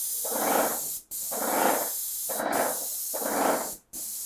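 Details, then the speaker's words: Titan Impact 120 cordless backpack airless sprayer with Bosch battery, 312 low-pressure tip, spraying waterborne cabinet finish: even hiss in bursts with clean cut-offs, smooth atomising, little overspray; normal spraying. "not a ton of overspray because of a low pressure tip but a beautiful finish has no problem shooting this waterbor cabinet finish"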